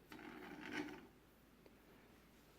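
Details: DJI Inspire 1 v2.0 upgraded to Inspire 2 (1345 LS) propeller mounting plates: brief dry rasping rattle from the front red motor turned by hand; fixed by inserting the supplied small foam pieces.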